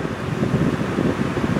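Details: Honda truck at about 990,000 miles after replacing a failed relay that had kept the A/C compressor from kicking on: smooth, even rush of air from the vents with a soft fan hum, vent temperature dropping to about 55°F, normal.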